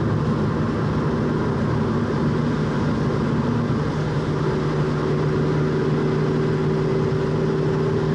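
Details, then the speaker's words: 1966 Mustang at steady freeway cruise with a new rear differential at about 260 miles, still breaking in. A steady low whine sits over the road drone, growing louder as the differential warms; the owner hopes it quiets by 500 miles. "as I go by you can really hear the differential getting louder and louder as warmer it gets"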